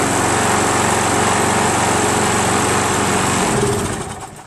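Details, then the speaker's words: Craftsman 7 HP self-propelled mower after priming: runs fast and choppy for a few seconds, then winds down and dies, won't restart without priming again; owner suspects carburetor and timing faults. "But it won't start again unless you primer it again. Watch. It won't. It just won't start. You always have to primer it again."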